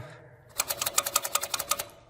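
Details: Furnace that wouldn't start, control light showing 3 flashes pointing to the pressure switch; blowing into and sucking on its pulled-off hose gives a burst of about a dozen crisp even clicks; switch works, and refitting the hose fixed the problem.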